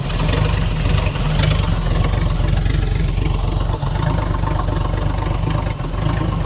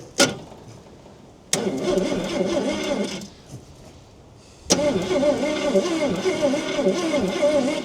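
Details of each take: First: Ford Falcon petrol six, about a 1968 model, parked since 1990 with 20,000 original miles, running on fuel poured into the carburetor bowl with choke off: low, fairly steady idle with slight dips; holds idle but has a flat spot when revved. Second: About 1968 Ford Falcon six-cylinder petrol, parked since 1990, 20,000 original miles, starter jumped with heavy-duty truck jumper leads; two steady, even cranking bursts, engine turns over freely but doesn't fire, starter works fine.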